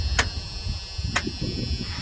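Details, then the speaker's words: 1985 GMC C2500 with a 350 small-block from a 1992 Chevy half-ton, converted to an electric fuel pump with no return line: at switch-on the pump hammers with sharp clacks over a low hum. Owner hopes fitting the original return line will quiet it. "i'll show you guys what the problem is when i turn on the electric fuel pump you can hear it hammering"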